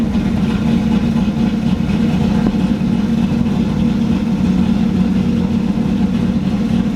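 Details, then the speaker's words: Camaro Z28 on third chip tune, loping choppy hunting idle held high; vacuum only about 40 on gauge, dropping to 800 would leave no vacuum and lose power brakes. "even had a high idle my vacuum is not very high I'm only pulling 40 looks like"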